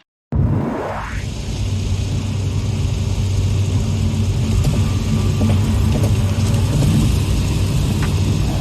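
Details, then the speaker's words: Jaguar F-Type R in the rear cabin at highway speed, about 70 mph with the spoiler deployed: steady road roar with a faint irregular flapping tick. Loose weatherstrip near the tailgate flaps in the wind; the audio was modulated. "flapping noise is caused by loose weather stripping material near the tailgate."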